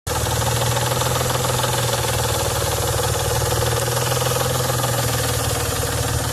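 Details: 1992 Nissan 300ZX naturally aspirated petrol V6 runs steadily with a loud, fast, regular knock over the engine note; engine knock started suddenly out of nowhere.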